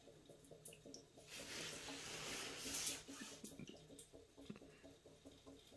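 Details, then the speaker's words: Bradford White water heater being drained, pressure relief valve and hot side opened: irregular bubbling gurgle and rushing water then drips as air enters; normal air gurgle while draining tank. "And we might need to open the shower so that way the air will go in there. But there you go, you can hear the gurgling."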